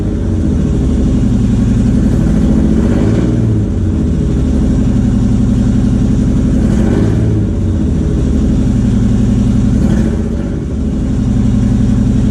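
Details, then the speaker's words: 3G Mitsubishi Eclipse with newly installed engine, open header not attached to exhaust: loud raspy but even running, steady pulses, slight rise and fall in revs, no knocks or misses; engine runs healthy. "As you can see, the car starts, motor's running, sounds pretty good. The only thing is it's basically open header."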